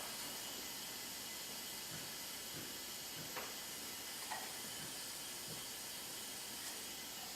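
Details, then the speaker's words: Hyundai Genesis 2.0T R Spec with low compression (about 70–110), engine stopped during leak-down test: steady airy hiss of escaping air, about 80% leakage; air escaping past the exhaust valve. "sure signs like it's the exhaust site"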